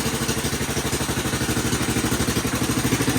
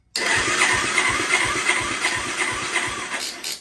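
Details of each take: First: Kawasaki Bayou 220 quad, year unknown, revived project started in neutral with jump box help for weak battery: even single-cylinder thump about three per second, steady with no stumbles; idling healthy. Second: Kawasaki Bayou 220 quad, year unknown, long-stored project with replacement starter and undersized temporary battery: steady cranking about three pulses a second, even compression, never catches; compression present, no fuel, carburetor probably bad.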